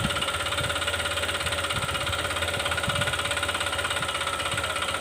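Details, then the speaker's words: Honda Click 125 scooter at 160,000 km, just started and blipped lightly, before repair: a hard, regular knock about three per second, a worn connecting rod; the planned fix is replacing the crankshaft and connecting rod assembly. "เสียงก้านด้านในมันเขกนะครับผมเนี่ยก็จะเปลี่ยนแต่ก้านนะครับ"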